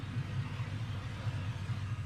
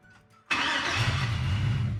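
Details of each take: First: LS-swapped Chevy C10 converted from carburetor to stock fuel injection, after cleaning the injectors; plastic intake fitted. Deep, even idle with regular pulses, quiet, no misfire; normal idle. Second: LS-swapped Chevy C10 converted from carburetor to stock fuel injection, first start after wiring ignition straight to the battery. Cranks, catches, then a rough, lumpy, stumbling idle; many misfires, later traced to clogged fuel injectors.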